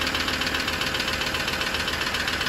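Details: 2016 Ford Ranger diesel, bought in England, idling: sharp, even ticking, roughly eight to ten ticks a second, over the idle; cause under investigation.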